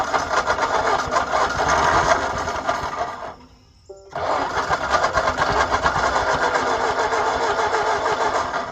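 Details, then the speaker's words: 1939 Ford tractor that sat in a field 20+ years catches on hand-poured gas and runs raggedly, stumbling then picking up; ignition confirmed working with a test light. Engine fires on primed fuel. "know it's firing used all the gas so we know it'll run"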